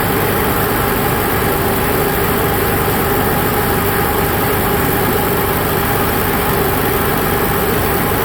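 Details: Onan Cummins QG 5500/7000 generator restarted after float bowl drained and fuel pump primed: steady, even hum with no knocks or surging, idling smoothly with no load; normal idle.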